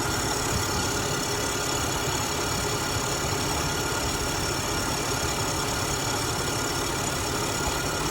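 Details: Acura MDX idling with a constant raspy whir on top, at first thought to be AC-related; caused by a bad drive belt, since fixed.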